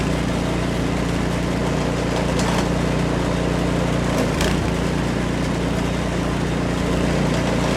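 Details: Almost-new Remington 24-inch two-stage snowblower (MTD, 208cc Powermore), warm, after replacing the Torx spark plug with a new NGK: steady, even beat of about three pulses a second without misses or surging; running healthy.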